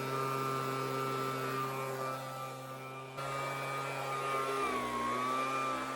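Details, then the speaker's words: Homelite two-stroke leaf blower, untouched before repair, run on medium with choke on: buzzing pitch wanders and sags, RPM fluctuating, bogging or rising when tilted; owner suspected air leak, cause fuel starvation from broken fuel line and clogged carb screen. "yeah so the idol or I guess it's not an idol it's just the RPMs in general they fluctuate quite a bit so there's something going on there"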